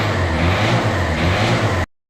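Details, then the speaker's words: Ford Fiesta Fusion TDCi diesel with 120,000 miles, after a full set of new injector copper sealing washers to cure injector chuffing: pulls up cleanly through a quick rev with an even note and no ticking or chuffing, normal revving. "that sounds a little bit better I'll tell you all for 120 000 miles it sounds quite nice to be honest"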